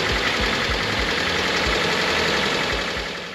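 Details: Cheapie Honda Civic rebuilt engine first start after new timing belt, water pump, drive belts, valve adjustment and correcting two crossed plug leads: quick even ticking about four per second over a rough, hissy idle; an overtightened accessory belt later squealed and smoked.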